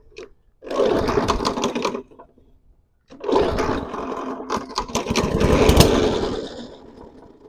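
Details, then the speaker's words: Non-running lawn mower with a grinding recoil starter; on the second pull it catches, sputters unevenly, then ends in a sharp bang, a backfire as the engine dies, with no visible blade or keyway damage. "Okay, backfire. Try it one more time."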